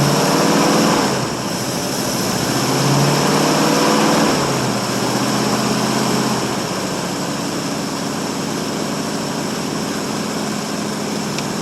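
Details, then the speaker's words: 1952 Ford Customline flathead V8, cold start after one to two months sitting, 12-volt jump pack on 6-volt battery, gas poured in carb, dual exhaust with glass packs: catches straight away, brief flare, then smooth, quiet, even idle, no misfire or knock. "Makes her crack right off. Let's listen to that old flathead just taking purr. Quiet as can be."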